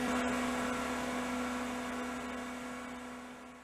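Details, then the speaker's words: 1980s CDC Finch 8-inch hard drive: smooth steady spindle whine, bearings sound smooth, slowly winding down with no head seek clicks; heads fail to self-seek, possibly due to an overheating 7818 18-volt regulator (24 V in) that runs too hot. "the heads should have done a self-seek and they didn't that's not good"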